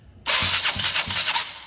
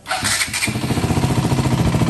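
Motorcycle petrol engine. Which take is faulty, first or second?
first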